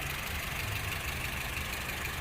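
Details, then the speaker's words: 2008 Honda Civic 1.8 i-VTEC manual, 100,000 km, engine never opened: steady even smooth idle, low hum with faint valvetrain tick, no knocks or misses; runs well and quiet. "ขอฟังเสียงเครื่องยนต์เลยครับโน้ทมีเสียงเครื่องนี้เพราะเลยนะครับเดินดีนิ่งเงียบครับ"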